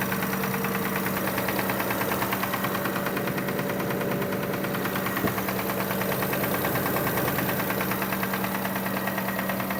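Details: 2005 Kia Sorento idling with a fairly regular light knock, about two per second, over the engine hum; engine knock at idle, source not yet diagnosed.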